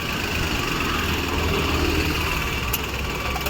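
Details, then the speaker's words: Maruti Suzuki Wagon R, no check light, switched to CNG (fine on petrol): uneven idle with rough tak-tak knocking and vibration about four times a second from the engine compartment; misfire from faulty, leaking CNG injector, later replaced. "CNG प किया और यहां पर vibration चालू हो गया तो engine compartment से एक नॉज आ रही है जो कि टक टक टक की है"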